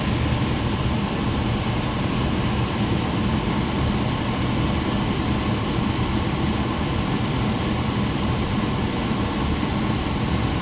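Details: 1989 Carrier furnace on a service call (fault code 1-3), after replacing the blower motor capacitor and setting the fan to auto: steady, even low rumble of air and fan with no knocks, squeal or hum changes; blower healthy.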